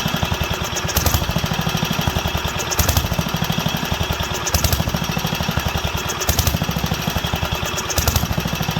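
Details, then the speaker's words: Wisconsin AENL single-cylinder barn-find engine, first run in 20+ years after spark restoration and carb cleaning, at higher speed: beat swells and sags every two seconds, leaning out and coming back; lean surging. "let's see how she handles but it's leaning out coming back leaning out coming back"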